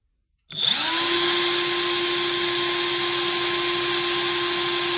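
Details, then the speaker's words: Craftsman CMCF940 heavy impact wrench (built 2023 week 14) after repair: collision-displaced bushing hammered back concentric, old T-shaft refitted, grease added; quick spin-up to steady high whine, no rattle or grinding, gearbox ~23°C versus 80°C+ before; normal running. "我刚才高速运行了大概几十秒钟吧，这在之前已经温升的到80多度了，就是前面测试的，现在还是23度左右。那它就正常了。"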